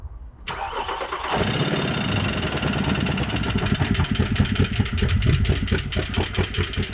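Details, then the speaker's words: Cheap Mercedes ML63, battery dead after sitting about three months, jump-started cold: cranks and catches, then a rough, steady knock of two or three beats a second over the idle; previous owner claimed a blown engine, bent rod feared, unconfirmed. "about as bad as of a sound that you can get that sounds healthy I sound like bottom in but well the the previous owner telling us that add a blo engine might be right so take a listen to this knock"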